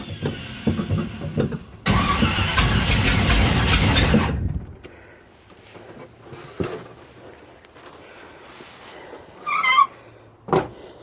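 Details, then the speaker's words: 1967 Corvette after rebuild, new lifters: starter cranks about two seconds, engine turns over but never catches; hard start after the distributor adjustment retarded the timing. "Yep, didn't like that. Shit, it's still off. Normally by now I have it started."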